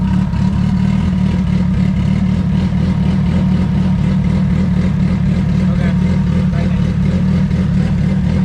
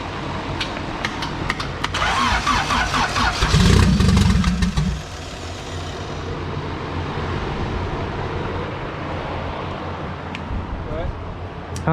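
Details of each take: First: Turbo D16 Honda EF hatch, GTX3576R turbo, first start, while ignition timing is set: deep loud exhaust burble at a steady idle around 1000–1200 rpm, no stumbling. Normal idle. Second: Turbo D16 Honda EF hatch, GTX3576R turbo, first start: a few seconds of fast cranking with throttle held, a loud rough catch and lumpy idle. Coolant-temp correction was adding fuel and MAP read zero. Hard start from over-rich fuelling.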